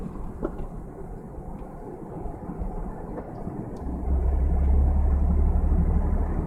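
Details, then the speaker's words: 2001 Ford Mustang misfiring under load: deep uneven rumble swelling under acceleration; fine in first gear, worse in second, bad in third at slow speed with gear shifter vibrating; flooring it at 3000 rpm in second is better; shops unable to diagnose. "so first gear it's totally cool second gear is a little bit worse the third gear slow speed once again look at the gear shifter it's pretty bad"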